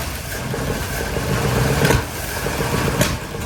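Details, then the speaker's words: Small block in 1972 Chevy C10 just rescued, first start, weak starter in question: catches and runs with lumpy uneven beat, surges and dips in speed; rough running right after first start. "well she ran she ran she wasn't too happy at all but she ran"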